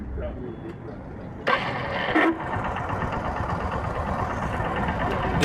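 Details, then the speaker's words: Hero 100cc Deluxe motorcycle self-starter: harsh rasping grind with each press, continuing as it cranks; loose starter motor, fixed by tightening the motor mounting screws. "जब हम self लेते हैं तो self में से खर बोलके एक आवाज आती है"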